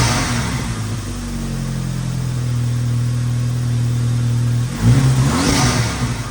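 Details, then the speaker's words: 2006 VW Mk5 GTI turbo, 034 Motorsports tune (stage 2, owner thinks), downpipe, CTS turbo exhaust, after budget vacuum leak repair: clean steady revving climbing smoothly and pulling back, no hiss or stumble; runs great, owner thinks leak existed long before. "As you can see, the GTI is running great. Uh, it definitely feels like there might have been a vacuum leak for a very long time."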